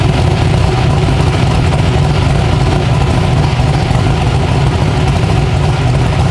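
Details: 372 small-block Chevy V8 in an original S10, on an LS tune file with timing added, heard from outside the truck; a loud, even, deep idle with a steady beat and no misses or knocks. Normal idle.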